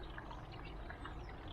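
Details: Air source heat pump water circuit after filter cleaning and bleeding air locks: smooth, even rush and trickle of water with no gurgling or air spitting; flow steady and normal.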